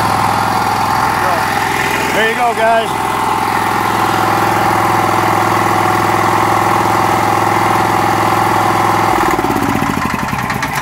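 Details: Honda GX390 13 HP single-cylinder rock crusher engine test run just after rebuild: steady, slightly high idle with an even beat, idle possibly set a little too high, then easing down; runs smooth and healthy.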